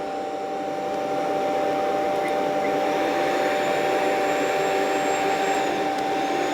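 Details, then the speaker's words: Rainbow PN12 power nozzle (1.2 A, brush roll) after belt installation and refurbishment, run on high speed: steady airy whine, clear constant tone, even speed, no rubbing or slapping; running normally, noticeably faster. "Okay, that seems pretty good [Music] speedwise. Yeah, a lot better. A lot better."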